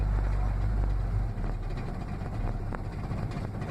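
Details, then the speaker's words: Dodge Ram 50 with tired engine, cold hard start before plug and lead change: low, lumpy uneven chugging, starts on one cylinder and works up to two as throttle is held; spark plugs not firing properly, misfire. "up to the Goldilocks here we're on one cylinder Oh little more gas don't stall spark plugs aren't quite firing there's two cylinders"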